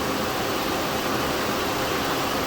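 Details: 2012 Mazda 6 3.7 L, engine cool and just started: radiator cooling fan ramps almost instantly to high speed and keeps climbing, running fast and pulsating; temp gauge stays mid, no overheating; fan also runs briefly after key-off. Fan module replacement fixed it.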